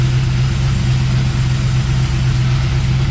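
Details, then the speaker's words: Petrol engine idling with an introduced vacuum leak, fuel trims rising to about 27% long-term plus 18% short-term: low even hum with a faint airy hiss; PCV/crankcase path is being checked. "what we have is we have a vacuum leak and we got to be able to troubleshoot how that is actually happening"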